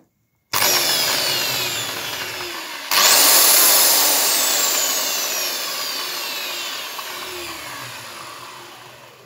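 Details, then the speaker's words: Makita belt sander reassembled with all new bearings and gears, test run before fitting the belt: motor spins up to a smooth high hum, winds down with falling tone, no grinding or rattle; sounds okay. "Okay, that sounds okay."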